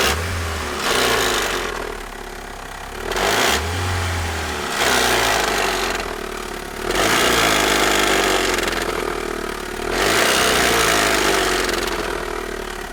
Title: Outlander Turbo 2.0, 148 kW, 2005 - strange engine noise